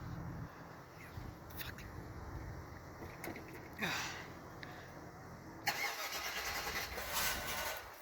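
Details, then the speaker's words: Cadillac Fleetwood after heater core coolant restriction valve replacement, cold start at -2 degrees after sitting a week, fuel pump heard: faint, uneven starter churning with no catch into idle; cranks but won't start. "This is actually the first time where it's refused to start. What the actual fuck? Put that on so I don't hear the buzzer. I hear the fuel pump."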